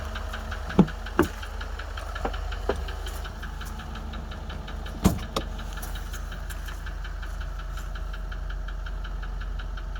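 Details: 2013 Range Rover Vogue L405 at steady idle: a few sharp, irregular knocks over the engine hum from the upper right side of the engine; cause not confirmed.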